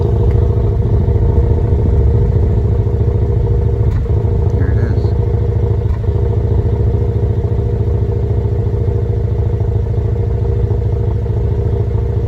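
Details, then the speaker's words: 2015 GMC Canyon 3.6L V6 with a misfire since a dealer service, heard at the tailpipe: an uneven, loping idle with occasional skips, pointing to a cylinder misfire from a nearly closed spark plug gap. "so let me take you back by the tailpipe maybe you'll be able to hear it maybe you guys are able to hear it right now but i can definitely feel it"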